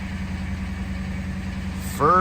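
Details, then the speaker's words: Ford Crown Victoria, first start in two months after welding work (owner feared arcing a rod or main bearing, but kept the ground clamp close): a steady, even low idle with no knocking, then a brief rising pitch. The engine runs cleanly. "I tried to keep my ground clamp pretty close to my work so should be a okay first sign of life in two months"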